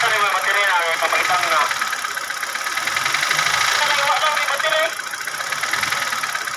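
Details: Hyundai Reina running at idle: uneven, rapid tapping about four a second riding over the engine; knock of unknown origin.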